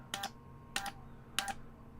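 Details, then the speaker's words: 7-band HF antenna switcher after backlash modifications: crisp paired clicks about every 0.6 s, the ball-bearing detent then the contact touching, clean and consistent with no backlash; normal detent and contact clicks. "If your hearing is good, you can just hear the click. You can hear two clicks, the ball bearing, and then you can hear another click where the contact just happens to touch"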